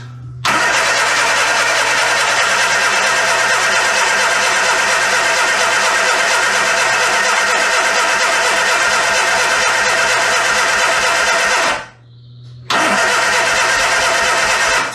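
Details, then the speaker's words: Classic Austin Mini on first start in 9 months after setting basic ignition timing, brake cleaner sprayed in: loud ragged firing, brief break, uneven running that dies away; engine catches but won't keep going, owner advances timing; automatic was left in reverse. "it's doing something i can hear it let's just advance the timing a little bit"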